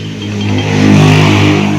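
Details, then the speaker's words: Yamaha Mio Soulty scooter, noisy engine lacking power at full throttle, owner replaced CVT parts: hard metallic rattle as engine revs and settles; worn camshaft bearing with balls worn and missing. "Halos pudpod na yang mga bulitas. Nagkulang na ito. Ah ito na talaga ang dahilan na malatunog na bakal"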